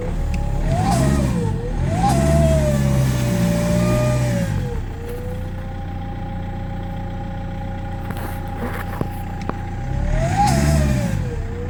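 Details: BMW E90 M Sport at 94k miles suddenly lost power while driving and began whistling; revs rise and fall with a thin climbing whistle over a rough drone; owner suspects the turbo has failed, now smoke from exhaust.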